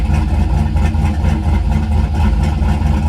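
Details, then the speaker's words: Turbo LS Chevy Avalanche, Sloppy Stage 2 cam, warm start on 102°F day, stock Silverado exhaust with cutout open: deep, loud, choppy lope about two beats a second, uneven rhythm; normal big-cam idle before cam swap. "But this is what it sounds like with the current settings with the sloppy stage 2 on a warm start."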